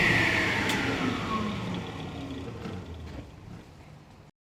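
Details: 1977 Rockwell Model 10 contractor table saw after a suspended motor mount mod, with a bracing board against startup pull. The motor spins up with a smooth, even whir and fades steadily, no knocking or rattle. Normal motor run.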